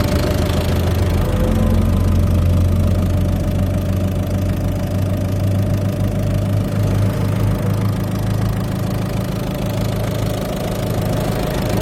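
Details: Peugeot/Citroën eHDi 112 diesel idling steadily with a low drone and a faint irregular ticking on top; owner unsure whether the engine noise is normal.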